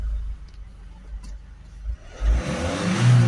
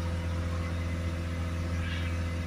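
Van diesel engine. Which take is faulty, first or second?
second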